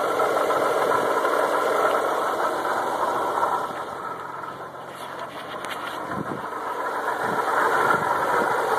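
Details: Audi S4 engine running with a faint, regular light tapping three or four times a second; later intermittent, only above about 2500 rpm, then stopped after two weeks; pulley bearings, camshaft, crankshaft or turbo suspected.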